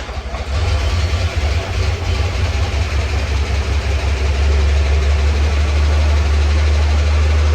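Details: Abandoned Chevy S10 with the heat on, after the old belt pulley was cleaned with Scotch-Brite and refitted. It starts and settles into a smooth, even idle, and the earlier belt squeak is gone; normal idle.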